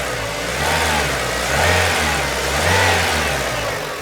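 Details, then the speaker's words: Renault Clio, warm idle: engine sags and surges twice within seconds, nearly dying then recovering, as the ECU power supply cuts intermittently; otherwise no misfire, good performance but randomly shuts off as if ignition switched off. Faulty ECU. "Deu uma queda, deu de morrer e voltou."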